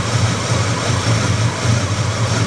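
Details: Buick 350 V8 at idle with slight revving: deep rumble with a steady low thump pulsing through it; engine knock, cause unknown.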